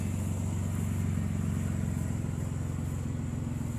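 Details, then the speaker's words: Six-cylinder engine after freeing three stuck injectors: it starts on all six cylinders, at first slightly rough, then settles into an even idle with no misfires. Normal idle. "Doesn't really sound like we have any misfires going on. Idle's pretty good."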